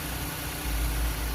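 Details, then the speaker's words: Chrysler 200/Sebring/Dodge Avenger engine idling after alternator replacement, checking the earlier noise is gone and charging works: low, smooth quiet hum with no whine or squeal on top. Normal idle. "all right so the car is running you can hear quiet"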